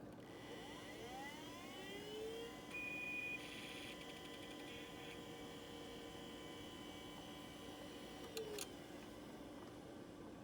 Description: The first drive plugged in is a properly functioning Maxtor hard drive.